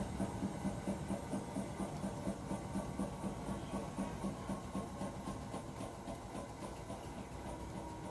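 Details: Hotpoint appliance with a weird rhythmic rumbling noise: drum turns with a soft, uneven thump-rumble about twice a second over a low hum; no clear cause.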